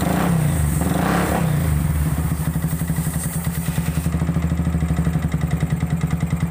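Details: Yamaha Vixion that ran dry of radiator coolant after a failed water pump seal, with coolant mixed into the oil: harsh, rough rattle at idle; piston slap and cylinder knock from overheating.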